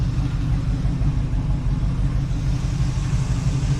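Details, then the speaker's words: 1986 Oldsmobile Cutlass 442 V8 with an eBay-rebuilt Quadrajet carburetor idling deep, steady and smooth; idle came right down to where it should be, running better than before the carb swap. "I'm impressed. Idle came right down to where it should be."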